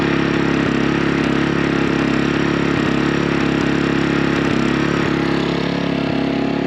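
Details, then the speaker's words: Maxpeedingrods 3200 W inverter generator, new, run in a garage at full speed to break in its small engine: steady high-speed drone with sharp pops about every two-thirds of a second, otherwise running smooth; backfiring. "backfiring hopefully you guys can hear that and it's running smooth nice and smooth"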